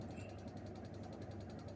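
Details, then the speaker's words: LG 14 kg top-load washer, 5 years old, that stopped working with a DE error, fixed by sticking a strong magnet at the lid near the handle: a steady motor hum with soft regular agitation pulses and no grinding; now running normally. "นี่ครับเครื่องทำงานปกติแล้วครับปั่นหมัดตอนแรกเครื่องไม่ทำงานเลยนะครับ"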